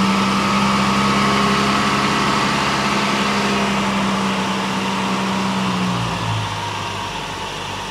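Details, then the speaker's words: Mk1 Ford Escort 4-door with Pinto four-cylinder, first run after ground-up restoration: settles into a steady, even idle, dropping slightly as it warms, with no knocks or misses; sounds good. "sounds good"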